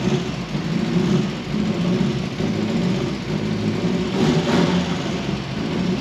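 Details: Ford Fiesta Mk1 with a newly fitted Zetec engine on its first drive: even, steady engine note building smoothly under light throttle. Earlier ticking and over-fueling came from swapped idle control valve and injector plugs; now fixed, no ticking, running cleanly.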